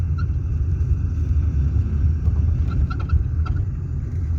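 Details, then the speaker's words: 1990 BMW E34 520 driving over bumps and dips gives short, high metallic squeaks from the rear right. A rear strut mount squeak; the right-side rod sits very close to the strut. "данный звук устранять именно при периоде неровности вот допустим ямки ложбинки то есть это звук появляется сразу он реально бесит"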